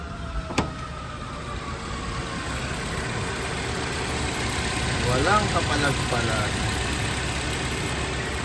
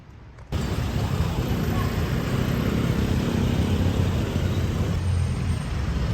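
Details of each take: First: Suzuki Jimny JB43 small four-cylinder idling fairly smoothly with a light hum and no obvious stumble. Its rough low-rpm idle was addressed by replacing the head cover gasket and fitting new spark plugs. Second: Suzuki Jimny JB43 rough idle at low rpm: low lumpy idle with uneven thumps, no steady rhythm; valve cover gasket and spark plugs replaced; cause not pinned down.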